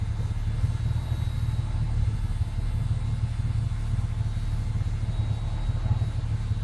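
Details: 1996 Ford Falcon EF 4.0L inline six: low idle rumble, slightly uneven with soft dips in P, N or D; smooth under load, compression in spec, no vacuum leaks. Idle misfire.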